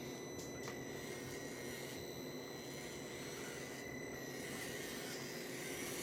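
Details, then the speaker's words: Meus MB18 RC crawler after upgrade to an Injora 180 Pro 48T motor, aluminum gearbox and 40.3:1 low-range steel gears: faint, steady motor and gear whine at a much slower, even crawl; healthy and unstrained. "Ready to crawl this thing, see how it does. I'm driving it one-handed here, but I got my thumb steer, so I think I'll be alright. You can definitely tell it's a lot slower crawl now."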